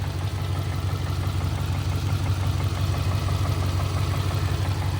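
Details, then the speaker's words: 2002-2007 Subaru Impreza boxer engine, automatic, idling: dull hollow knock about three times a second under a low rumble; piston slap, normal for Subaru, doesn't grow with revs like rod knock. "This car has piston slap. It's really just normal for any Subaru. If it has higher mileage, they sound kind of knocky even when they're brand new."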